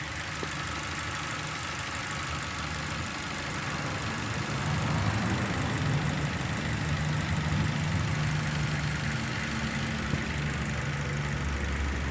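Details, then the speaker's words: Engine with unstable idle and misfire: uneven, lumpy idle at roughly three to four pulses a second; an exhaust valve is sealing poorly and leaking pressure, so the cylinder head must come off for valve and seat work. "entonces aquí tenemos una válvula de escape que está sellando mal por eso es que deja escapar con presión y por eso tenemos una señal alta en este"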